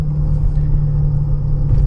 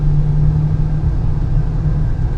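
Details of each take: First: 2014/2015 Honda Pilot, on a hot day, while driving: steady low droning hum under the road rumble, louder when steering left, quieter right; driver's side wheel bearing suspected, earlier mechanic suspected VTM transfer case. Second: 2015 Honda Pilot road test after wheel bearing replacement, axle nut torqued to 242 lb-ft, around 40–60 mph: smooth even road rumble, the earlier hum is gone; normal wheel bearing.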